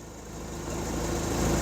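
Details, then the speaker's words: Hyundai 30L-7M forklift, GM 3.0L engine with GCP system and DPR regulator, codes for Mega Jector delivery pressure and communication lost: shaky, uneven idle with slowly building rumble; running rough and extremely rich, unburned fuel smell at exhaust. "okay you can see how it's a bit shaky this is running uh very rough"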